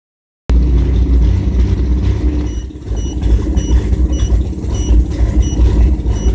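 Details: 1997 GMC Jimmy held at 2,000 rpm while viewing live data: exhaust beat stumbles unevenly with occasional dropouts, indicating a misfire on one cylinder.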